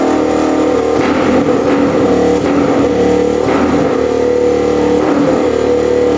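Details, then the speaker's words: Rough 4x4 ATV sitting for years, first start after siphoning old premix-looking gas: runs on partial choke but bogs and sputters unevenly every second or so, dies with choke off; owner suspects not enough fuel, fuel screw to go out. "So it looks like it's running good with the choke on, partially. As soon as I turn the choke off, it kind of sputters and dies, so I'm thinking it's not getting enough fuel."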